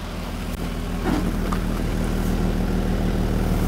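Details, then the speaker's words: 1980 Mercedes W126 280SE Euro sedan (M110 six), outside on a chilly day, mic at tailpipe after temporary exhaust leak repair: even, steady idle rumble with no puffing, ticking or hissing; runs smooth, owner suspects warm-up regulator issue. "right now it's running pretty sweet compared to what I hope the car home listen to this little six-hour Rob pretty smooth"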